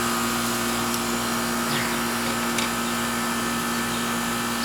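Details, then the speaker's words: R22 Goodman AC condenser, called in for not cooling the house: steady, even fan and compressor hum, no knocks or rattles. Suction line at 60–70 degrees, superheat 20, charge good. Normal condenser running. "we're at 60 70 degrees on the suction and our super heat's at 20. so we're fine our charge is good"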